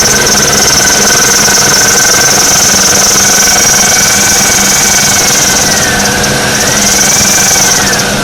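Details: 2002 Oldsmobile Alero at idle: loud steady whirring and rough high whine from a bad alternator bearing.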